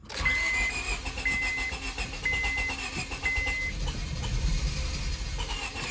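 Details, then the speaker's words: 2002 Honda Civic, sat months after a clicking no-start: long steady cranking, nearly catches but never fires while fuel pump is cycled; owner suspects lost fuel pressure or rat damage to fuel lines. "oh man it wants to i'm just priming the fuel pump i think it lost fuel pressure"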